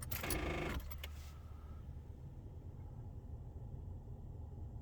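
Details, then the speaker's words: 2004 Ford Mustang no-crank: a burst of rapid clicking near four per second, gauges sweeping to max and back, engine never turns over. Caused by corroded, poorly connected battery terminals, fixed by cleaning the posts and rings and retightening. "so the car is not cranking and it's giving a rapid clicking noise so i'll give you an example here and i'll crank it now just like that"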